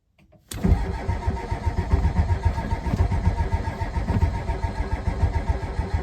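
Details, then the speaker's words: 1990 Ford F-250 7.3 IDI diesel, first start in 3 years on a cold February morning, glow plugs cycled: slow uneven cranking chug with faint catches, won't start; owner suspects too cold or bad glow plugs. "I got a couple little puffs out of it, but it's just might be too cold. The glow plugs might be bad, so we'll do it one more time."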